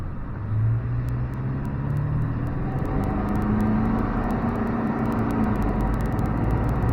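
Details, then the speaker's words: After replacing the failed turbo with a KC Turbos Stock Plus unit (no back pressure valve), a 2000 Ford F250 7.3 Powerstroke diesel drones steadily and rises under load with no squeal, flutter or rattle. It makes about 28–30 psi boost with EGTs around 1200 on the lowest tune; turbo spool is normal. "about 28 pounds 30 pounds of boost definitely got boost sure 20 pounds is easy"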